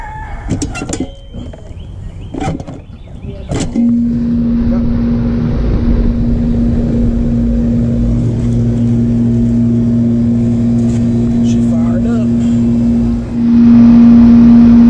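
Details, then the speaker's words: R22 AC condenser (CKL42, 2005) with no cooling, after replacing the capacitor: quiet, then a firm low hum kicks in and holds steady, fan spinning up later; compressor starting and running normally. "okay so we have the machine back up and running it's pulling good hot heat"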